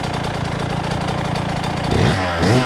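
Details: 2000 Suzuki RM125 two-stroke after cleaning, idling before first ride: burbly, slightly uneven beat with a lazy blip near the end. Owner feels it's still running a little rich. Rich-running idle.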